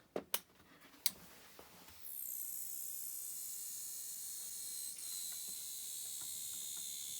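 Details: Sony MDS-JE470 MiniDisc deck, bought stuck on standby, powered up during repair: a few sharp clicks then a steady high-pitched whirring; the disc mechanism is straining or grinding, cause unclear.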